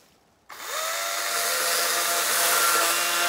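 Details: Battery-powered chainsaw cutting a dry, long-fallen dead limb: the motor whine spools up to a steady high tone, then a rough rasp as it slowly chews the wood; the chain is dull.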